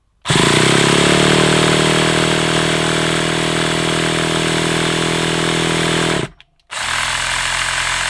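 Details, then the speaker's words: Hobao Hyper 7 nitro RC engine, stored over two years, primed, throttle possibly too far closed: starter buzzes about six seconds without catching, coughed a couple of times; owner suspects flat glow starter. "The reason I kept on trying was because it did it did cough a couple of times, didn't it?"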